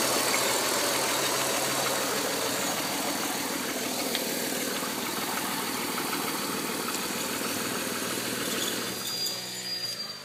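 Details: 1999.5 Audi A4 2.8 at idle: a steady hiss over an even idle, suspected vacuum leak; brake pedal goes stiff when the engine is off, and the check valve, suction pump and all PCV lines are already replaced.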